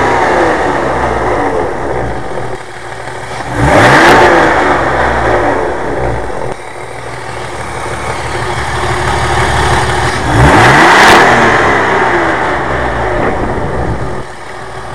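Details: BMW E36 328i six-cylinder petrol engine idling with a busy metallic rattle, blipped twice to higher revs; owner suspects VANOS or timing chain, not confirmed.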